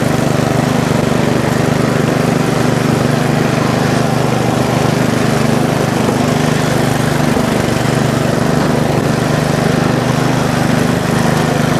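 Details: Bolens riding mower single-cylinder engine, first start after valve cover reseal and charged battery, choke on: steady, even drone at fast idle with no misses or knocks; running normally.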